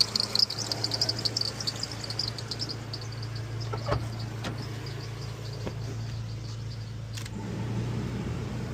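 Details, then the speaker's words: 2006 Ford E-450 6.8L CNG van at idle, charging at 14.1V: high quick chirps a couple per second, worsening with headlights on; belt or bearing suspected, alternator failure later confirmed under load. "So you guys can hear that chirping sound. It could be the belt, or it could be a bearing down there."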